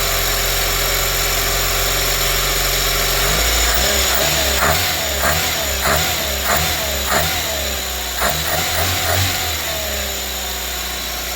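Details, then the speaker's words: Carburetted Renault 5 small four-cylinder with new air cleaner, cold, choke coming off: settles from fast choke idle to a lower steady beat with crisp throttle blips and audible intake suck; normal idle. "Oh, you can hear it sucking more, but I don't think it actually makes any difference, does it?"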